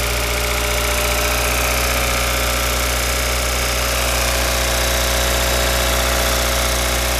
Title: Dziwny dźwięk silnika.